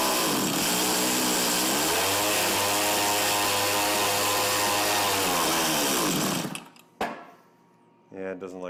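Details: Tecumseh TC300 two-stroke on an Eskimo ice auger, freshly re-ringed with compression just under 90 and idle bumped up: it screams steadily, revs sag, then it dies and only sputters with the choke fully off; a carb tuning issue is suspected, not confirmed.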